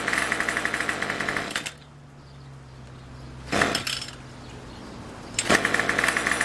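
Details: Craftsman Weedwacker trimmer 316.791191, MTD 27cc two-stroke, Zama C1U-P27 carb, after rebuild, next-day cold start with a little throttle: buzzy revs, drops to soft idle a few seconds, then picks up cleanly; normal running.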